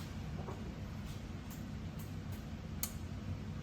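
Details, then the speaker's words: RB25-swapped Datsun 240Z on a Haltech Elite 2500, coolant at 35°, cranking and first firing. Light irregular ticks about every half second from the engine bay; timing control or cam position sensor suspected, source unknown. "uh timing control. >> Yeah. Do it again. It's something, yeah, it's something right here. >> It's probably that timing >> Or cam position sensor clicking."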